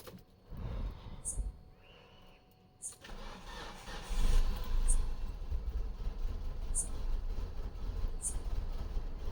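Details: Mitsubishi Lancer with missing/rough idle after engine-bay washing, plugs and coils cleaned, harnesses reinstalled: quiet clicks, engine catches around three seconds in and settles to a fairly even low idle, no misses; normal idle.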